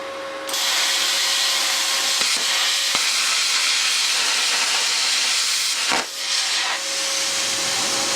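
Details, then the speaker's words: First cut with a CUT50/CUT60 60 A Chinese plasma cutter at 30 A: steady loud air and arc hiss with a faint tone underneath, even through the cut; cutting normally, torch moved a bit too quickly. "apart from my nerves getting the better of me, that's cut really well. Bit too quick. So I'm just going too quick for it."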